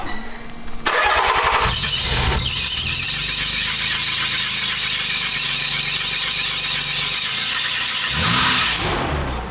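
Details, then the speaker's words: Nissan 300ZX just back together after a full engine reseal, new clutch and lightweight flywheel, being timed with a timing light: loud, steady high-pitched squeal over the engine from start-up for several seconds; accessory belts slipping, expected to wear in. "it's gonna take a second for it I'll get the belts to stop they're sad right now"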